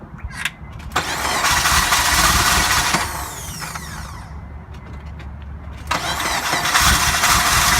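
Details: 2002 Acura RSX Type S cranking but not starting; starter churns in two long bursts, engine catches only raggedly with starter fluid and never runs. Suspected fuel delivery, later found to be the fuel pump assembly.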